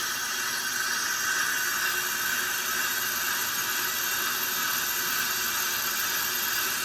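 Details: Pro-Cut brake lathe cutting a car rotor, automatic feed moving the cutting head: a steady high hiss with a thin whistle, even and unchanging, a clean normal rotor cut.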